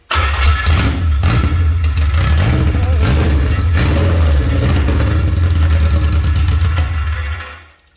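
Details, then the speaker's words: Honda K24A2 engine swapped into a Toyota MR2, first start with a new battery and no cold-air intake or O2 sensor fitted: catches and runs rough, then fades and dies. It runs only while brake cleaner is sprayed into the intake. A fuel problem with unknown tank fuel is suspected. "well it's running but it's uh seems like it's only running whenever i'm um spraying brake clean into the intake so i'm not sure if it's got a problem with the fuel or what's going on with it"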